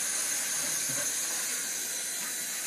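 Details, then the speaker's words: Two-zone hot-water baseboard heating system being bled, pressure kept under 30 psi; steady, high-pitched hiss of trapped air rushing out of the bleed hose with no water sputter yet; air venting from the system. "yeah I can hear the air coming out of this thing yeah it does it just now"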